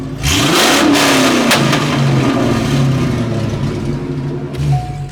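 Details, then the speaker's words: Corvette after splicing cut sensor wires, battery very low voltage: engine revs up and falls with sharp pops and cracks from the exhaust, backfiring more than before; owner blames low voltage, cause unclear. "It's shooting out way more fucking, like it's backfiring way more than it used to. It just has low voltage."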